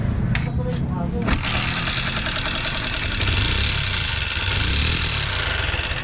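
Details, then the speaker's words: Newly bought Honda XR150 single-cylinder motorcycle starting and idling with a loud, busy valvetrain clatter; a loose rocker arm was found. "So ito yung problema ni boss sa kanyang XR 150 na sobrang ingay talaga."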